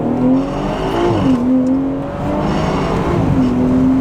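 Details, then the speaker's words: BMW F-generation (e.g. F30) under acceleration: rough, gritty grinding rattle following throttle, felt through the center console while in gear and rolling. A broken retainer clip let the parking brake cables hang down and drag on the drive shaft; the fix is replacing the clip. "The culprit is this clip that holds the parking brake cables to the underside of the car. As you can see, over time they can break off, allowing the cables to hang down and drag on the drive shaft."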